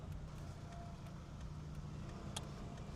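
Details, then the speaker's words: Toyota RAV4 ACA30 driving over speed bumps after the front suspension repair on the driver's side: steady road rumble with no clunks or knocks; the front suspension knock is fixed. "Так, в принципе, всё нормально. Наша проблема решилась."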